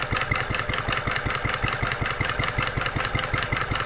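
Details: Brand-new Stirling Kit hot bulb horizontal mill engine (9" cast iron flywheel) on its first start out of the box at 74°F room temperature, mixture richened. It gives crisp, even firing beats about 2.5 per second with no stumbles, water pump and check valves working. Normal running.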